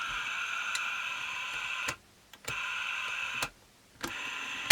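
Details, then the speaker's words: Late-1960s Olympus Zuiko Pearlcorder microcassette recorder, powered up before disassembly: thin high motor whirr running in short spells then cutting out abruptly; owner suspects something loose inside, motor stalls intermittently. "Look, it's making a horrible noise. Oh, it was. Oh, when I press that in, it stops. Oh, or it just stops generally. Oh, something's loose."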